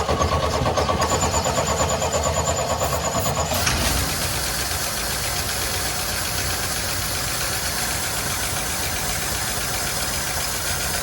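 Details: 1972 Chevy C10 revival, after air-blowing the blocked carburetor clear: cranks a few seconds, fires and keeps running on its own at a slightly uneven idle; accelerator pump suspected bad, vacuum leak noted.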